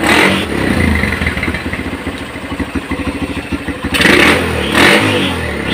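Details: Honda GL Pro NeoTech motorcycle: the engine fires unevenly, sputters and stumbles on first throttle opening, and dies when hot but runs fine cold. Charging and ignition were checked normal; a too-rich carburetor setting or weak ignition is suspected.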